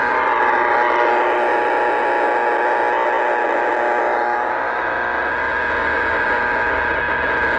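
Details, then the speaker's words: A harsh, steady electrical buzz with a rough, pulsing edge heard on a receiver while driving toward the noisy poles: a 20-over-9 dB RFI signal from arcing power pole hardware. "it's a 20 over9 DB RFI signal coming off the power poles on West"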